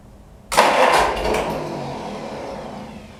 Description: Troubled Pony tractor engine. Starts, but won't keep running.